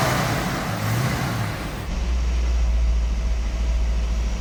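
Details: 1967 Ford Mustang V8, bought new and recently renovated: catches and settles into a deep, even, throaty exhaust rumble with no miss or tapping; normal start and idle.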